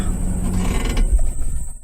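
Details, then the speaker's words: 2000 Ford Expedition 4.6 V8, roughly 30-40,000 miles, fine in neutral and reverse: dropped into drive, low rumble sags and fades to silence within about two seconds; stalls under load, cause not confirmed. "now put neutral idle's pretty good not too bad now as soon as I drop in gear it'll either surge or stall stalls start it back up"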